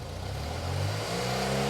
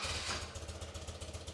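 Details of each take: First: BMW R65 twin after deleting the secondary air system, replacing the air filter and synchronizing the carbs, warm, idling about 1,000 rpm: settles into a smooth, steady raised rev, holds evenly, drops back cleanly; carbs balanced, normal revving. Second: BMW R65 boxer twin, just started after deleting the secondary air emission system and fitting a new air filter: lumpy, pulsing idle around 900 rpm with uneven cylinder beats; carburetors out of sync, vacuum reading 50 left versus 61 right.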